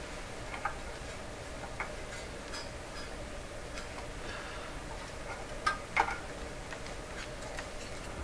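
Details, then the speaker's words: Sparton 1567 tube radio: crackling when switching bands, faint irregular scratchy clicks and louder pops over low hiss; band switch contacts suspected, being inspected while investigating audio distortion; cause not confirmed. "that's really bad sounds"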